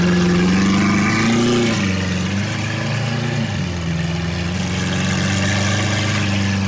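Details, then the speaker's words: Rebuilt wrecked Lamborghini Aventador SV V12, first start, in neutral; deep, steady idle with an even low rumble, no hiccuping or misses, now running smooth. "but it sounds way better now it does yeah it literally no more like hiccuping or anything like that sounds really smooth now it's crazy"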